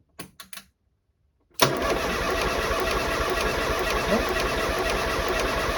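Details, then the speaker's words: Escort RS Turbo not run since 1996, cranks but won't start: short bursts then steady cranking about 3.5 beats a second, never catching; spark confirmed, fuel pump not heard priming, owner suspects fuel pump relay. "so we got a spark there which is good so obviously it's a fuel issue i'm not actually um i haven't noticed that the fuel pump's running at all"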